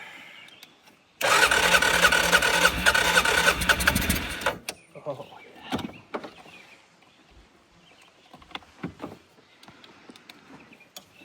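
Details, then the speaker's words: Used ATV bought in a multi-machine lot, carb cleaner sprayed in as starting fluid: about three seconds of brisk cranking with a faint attempt to catch, then dies; fuel starvation, no start. "So close. I don't have enough juice in this thing. Maybe it doesn't like the carb cleaner."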